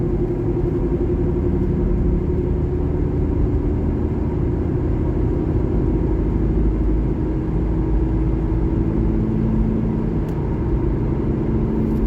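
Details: 2012 Honda Civic LX at road speed: a constant low rumbling drone under the tyre noise; owner suspects a bad driver-side front wheel bearing, not confirmed.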